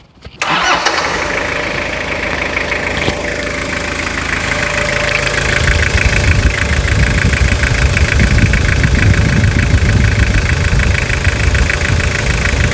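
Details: Restored Toyota Hilux (1992–2001 generation) diesel, heard after final assembly of a full restoration: brief crank, catches at once, then settles into a steady, even idle with no knocks or misses; healthy engine, normal start and idle.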